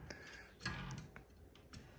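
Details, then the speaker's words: Computer power-supply cooling fan turned by hand, giving quiet uneven ticks and scrapes; the bearing is worn and the fan is stiff to turn, so it needs replacing. "And here's our fan. Yeah, even just spinning it, I can hear that the bearing is worn"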